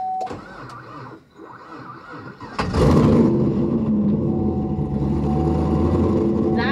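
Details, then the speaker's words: Cammed, supercharged 5th-gen Camaro SS with a brand-new battery, restarted after 3–4 minutes off: brief, labored cranking before it barely catches and roars to a rough idle. The owner suspects a battery drain or a failing starter. "something's draining the battery still i don't know what it is it's either draining the battery or our the starter is going bad i can't tell um but it's a brand new battery"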